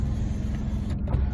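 A short, even motor hum as the glass travels, with no straining or grinding; the window motor is working fine.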